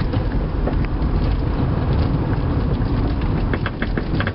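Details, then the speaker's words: 1997 Toyota Avalon on a night test drive at about 33°F: loose clunks and rattles over rough road on top of road rumble. Owner suspects the front passenger-side upper strut mount rather than the struts; not confirmed. "I don't think it needs all new struts though I think it's either just maybe like a strut mount"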